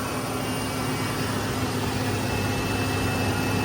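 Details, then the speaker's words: Ford Ranger 3.0 V6 after timing cover and oil pan repair, refilled with about 1.5 gallons of coolant, warming up for a leak check: steady, even idle hum with no knocks, ticks or stumbles; normal idle. "So yeah, we're gonna let it run, let it warm up. We know it doesn't leak out any oil because we already ran it."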